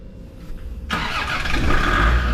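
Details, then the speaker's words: Land Rover Discovery 2 Td5 that only clicked instead of starting, first start after starter motor repair: quiet, then the engine catches straight away and settles into a steady even run; clean first-try start. "hook the battery back up and if we've done it properly or if it works we will be able to start in it should start first time every time"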